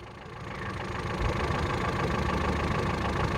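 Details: Ford Figo being checked for repeated stalling, running after ECM reset and no trouble codes: steady even idle with a low smooth rumble, no misfire stumble or knock; engine running cleanly.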